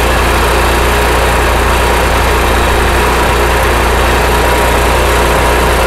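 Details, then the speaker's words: RV generator started with no load: loud engine drone whose speed hunts up and down, worse under load; surging likely from carburetor jets clogged by varnish from fuel evaporated while unused, to be cleaned. "so you can kind of hear there that the generator is going up and down it's not happy it's not running very well and that's without a load"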